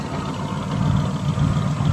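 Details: 1974 Buick Century Luxus V8 idling while parked after a drive. Smooth, even, low burble at a steady idle, with no misses, ticks or knocks. Normal idle.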